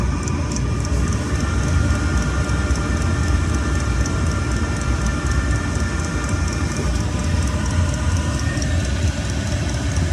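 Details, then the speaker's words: 2 kW Chinese diesel heater on a spare tank with standard pump and filters, during a fuel-consumption test, fan up at top speed: loud steady roar with even fan hum and constant burner rush, no surging. Running normally at full power. "I mean, this is a very powerful bit of kit. This one for a 2 kilowatt compared to the one in the van. Oh, it is noisy, but what the hell?"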